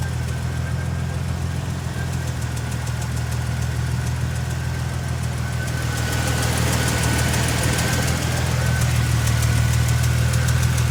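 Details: Supercharged 2015 Toyota Tacoma engine: sharp regular ticking about three per second over a low steady idle drone, getting louder toward the end; cause unknown.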